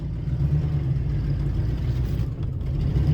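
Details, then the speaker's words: 2000 Ford F-150, in drive at low rpm after an earlier stall: deep, lumpy low-speed drone with an uneven pulsing chug, running rough as if about to die; owner suspects vacuum leak or a mismatched aftermarket intake/MAF, unconfirmed. "it's like sounding like it's wanting to die right there chugging"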